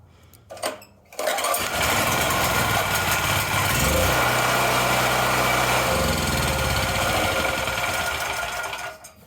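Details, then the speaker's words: Wen Power Pro 3500 W generator, sat unrun about 15–16 years: small single-cylinder engine catches after brief crank, runs steady and even with no knocks or misses; engine fine, output voltage stuck low after AVR adjustment. "The motor sounds fine."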